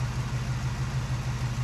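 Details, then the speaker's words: 1974 AMC Javelin, original engine with a new timing chain, idling at night with lights on; steady, even low rumble, no ticks or knocks, smooth like factory; normal idle. "So yeah, listen to that. No ticks, no noise, just nice and smooth,"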